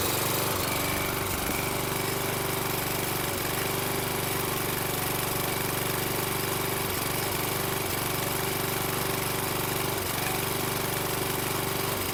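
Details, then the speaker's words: Toro Recycler mower, Kohler 6.75 engine, on a replacement Everest carburetor, runs rough and extremely smoky, burning a lot of oil, with brief dropouts every few seconds where it stumbles and catches, better than the original carb; cause not confirmed. "it was uh cutting out intermittently but a lot better than it was with the um original carb it would cut out for a second or two and then catch itself"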